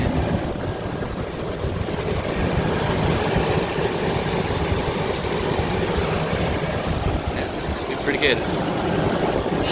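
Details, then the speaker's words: Ford Ranger idling after replacement of a leaking timing chain tensioner with the intake removed: smooth, even hum with injectors clicking and no timing chain rattle or ticking. Normal idle. "that sounds good at least you can hear the injectors clicking away but i don't hear no timing team rattle"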